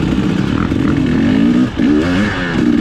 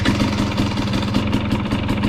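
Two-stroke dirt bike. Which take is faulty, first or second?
first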